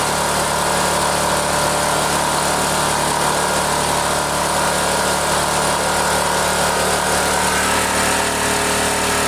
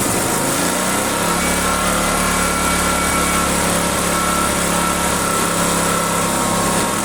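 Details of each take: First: Neglected generator, runs only with the choke on, carburetor due for cleaning, being run out of fuel; steady, even mid-pitched drone with no surging, misses or knocks; running, generator making power. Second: Owner's generator, neglected and stored about a year, which would only run on choke, run after a carburettor clean and reassembly: high steady buzzy drone that sounds strained and not quite clean; rough running, cause suspected, not confirmed.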